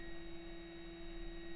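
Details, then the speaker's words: NB2 Mazda Miata with newly installed GTR2 LED headlight bulbs; thin, steady high-pitched whine from the bulbs' active cooling fans, normal operation. "You can definitely hear the fans. It's not that loud, but it might be active in the sense that the hotter it gets, the faster it spins."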